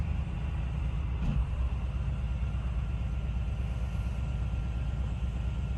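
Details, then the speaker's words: 8L90 transmission after fluid and filter change, internal harness replacement (P0711 temp sensor fault) and cooler thermostat, during scanner fast-adapt relearn at about 170°. Idle rumble, then a soft thump as clutch pressure applies and it self-engages gear: normal. "right now doing a calibration test it's applying clutch pressure and you hear you can hear the clutches engaging and releasing there he goes this goes in gear by itself"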